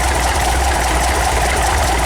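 Warm idle near 800 rpm holds a steady rumble, with a light ticking from the valve gear still riding on top.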